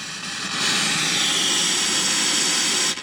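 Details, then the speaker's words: Concord F400 late-1960s Japanese stereo portable cassette recorder, playback with volume wide open: loud steady hiss with nothing underneath, a noisy germanium transistor in the amplifier. "So that definitely sounds like a noisy germanium transistor."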